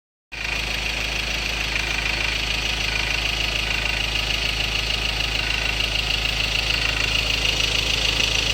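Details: 2016 Ford Ranger 2.2 XLT Duratorq diesel, 4x2 manual, idling with a hard, even clatter about three times a second, louder than normal combustion rattle. Fuel knock from a possible injector problem is suspected; unresolved by the dealer.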